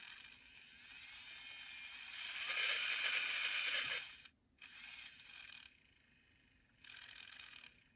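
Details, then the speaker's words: Kit-built Bowser K11 4-6-2 model steam locomotive during a tune-up, run after cleaning and oiling: light, even high-pitched whir holding steady, stopping cleanly between runs, no catching or clatter; running nice and smooth. "running nice and smooth"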